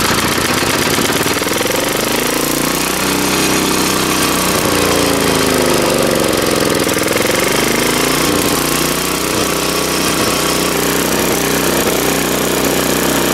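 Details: 3.5 HP Tecumseh small engine after tune-up by trial carburettor adjustment: runs steadily, speed drifting gently then settling; now running very well.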